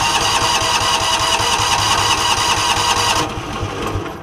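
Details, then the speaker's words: John Deere Gator with Kawasaki engine, previously misdiagnosed as a carb issue, cranking at a steady fast rhythm about two and a half beats a second without firing while a spark tester shows weak spark; hard starting from failing ignition coil. "you can see it's sparking but it's fairly weak you want to see a little bit brighter of a light"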